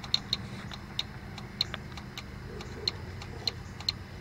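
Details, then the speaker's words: 1997 Ford Escort automatic with codes P1744/P0748/P1740/P1742: sharp, irregular clicks as the upper-left shift solenoid is energized directly from the battery positive, showing the solenoid works. "we're going to touch and then we'll hear a clicking noise you hear that and I try to move my hand other ways you can see that's the cell annoyed clicking good"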